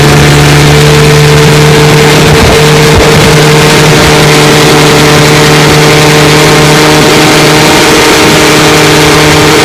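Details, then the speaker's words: 1954 Johnson QD-15 10 HP outboard after full restoration, running on the water: loud drone wavers and roughens briefly as vibration backs off the carburetor needle valve because its lock nut is loose; fix is tightening the lock nut. "That rattling and the vibration of motors moving this needle valve, so the lock nut behind there is not tighten enough. I'm going to take her apart and tighten that lock nut so she'll stay steady."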